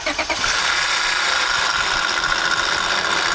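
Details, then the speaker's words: 2005 Honda Accord 3.0L V6 at idle: constant gritty, hissing whir without a beat from the serpentine belt tensioner; mechanics disagree whether the upper or lower tensioner pulley bearing is bad; tensioner replaced. "He believes the upper bearing right here on this. I know it's probably difficult to see on this tensioner has gone bad"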